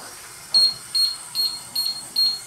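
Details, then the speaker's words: Hoshizaki nugget ice machine control board: five short high beeps, about two a second, signalling freeze timer alarm; unit beeps and stops making ice. "so we got five beeps all right so as you heard we have five beeps coming out of this control so let's see if we can get to our alarm section real quick"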